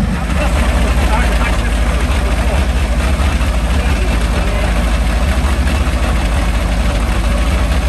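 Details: Meteor Interceptor car with Centurion tank engine, first complete drivetrain test on jack stands after rewiring; warm idle, pressure 15 bar: deep, even low rumble, no knocks, misses or surging, smooth idle.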